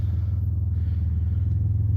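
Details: 2001 Chrysler with crank-no-start: with an external ground jumped to the sensors, a deep steady idle with even pulse and no misses or stumbling; it dies when the ground is pulled, so the PCM has lost sensor ground and needs replacing.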